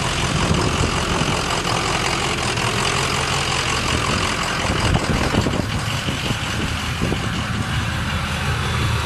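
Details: Ford 6.0 Powerstroke diesel at idle with a bad injector; rough uneven gravelly rattle rather than a clean beat, misfire from the failing injector.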